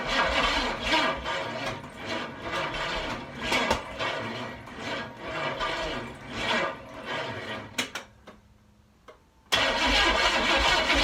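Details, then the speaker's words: Dually truck engine on a start attempt: steady rhythmic cranking at about two and a half turns a second that never catches, stops and resumes; cranks but won't fire despite having spark and fuel, cause unknown. "fire okay so still no luck mike came over uh we cranked over a few times very minimally um it's got spark it's getting fuel"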